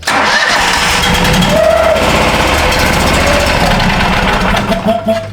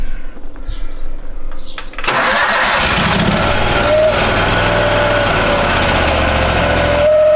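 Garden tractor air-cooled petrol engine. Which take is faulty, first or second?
first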